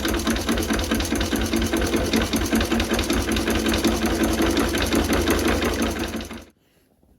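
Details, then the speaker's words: Renée stationary engine from the 1920s, unrun for years, low compression suspected from stuck rings: old engine chugs at a steady even beat about two and a half per second, then shuts off cleanly; restarted and running normally. "Donc comme vous avez pu le voir, on a réussi à démarrer le moteur."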